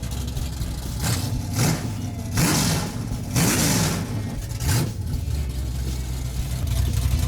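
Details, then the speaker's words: Restored car's V8 on uncapped open headers before 3-inch exhaust is fitted: deep loud throaty throttle blips, each rev climbing and dropping cleanly; healthy engine. "I loved that sound as a kid, but I don't know if I love it as much right now."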